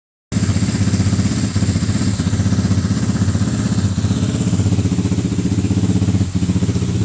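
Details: Atomik 250 Pro X after two weeks of work on spokes, axles and the engine, which was shifting in the frame: single steady putter at about four pulses a second, even beat without stumbling; runs properly.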